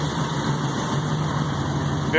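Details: 1951 Chevrolet 3100 pickup on Art Morrison GT chassis, supercharged LSA crate V8 (as in Cadillac CTS-V/ZL1 Camaro), about 1,200 miles: steady even idle, smooth low rumble, no knocks or misses; healthy.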